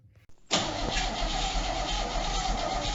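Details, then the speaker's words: 1968 Chevy C10, believed to have a 307 V8, sat in a field about 30 years, previously seized and freed, oil changed; brief quiet then steady even starter whir without binding; normal free cranking. "that sounds different that's all right cranking very much how it should good"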